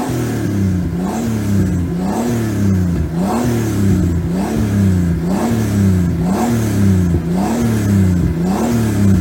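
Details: BMW E46 328i turbo conversion, after refitting the turbo, reworking and shortening the oil return, draining 1 l of oil and removing the breather to cure grey oil smoke: repeated quick throttle blips about once a second, revs rise and fall cleanly, no knock or rattle; normal revving.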